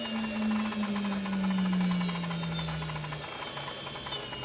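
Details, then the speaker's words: JGL ATC spindle, warmed up: low hum near 200 Hz sagging in pitch with a faint uneven swishing about 150 times a minute, unchanged with RPM; abnormal spindle noise, cause unknown. "The sound doesn't change with the RPM."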